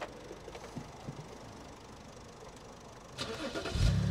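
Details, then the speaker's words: Car bought at a salvage auction, listed as running but a non-runner, about 46,000 miles: after fault codes are cleared it cranks briefly and catches cleanly into a strong, steady cold-start fast idle, a normal healthy start. "yeah are that sounds I'll take that that sounds like 46,000 mile car don't it yeah that's good"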